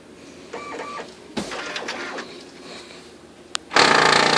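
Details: New replacement OKI Data MB480 laser printer whirs and clatters, then grinds loudly and roughly as it runs, showing errors and jamming even with all safeguards off and no obstruction found.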